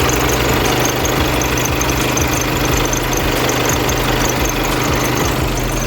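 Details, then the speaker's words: Skoda B8 2.0 TDI EA288 (CRLB) diesel idling with a faint, high, repeating chirp over the clatter from the serpentine belt, quick fix is greasing it; serpentine belt squeak at idle. "if you hear a squeaky noise from serantine belt in your"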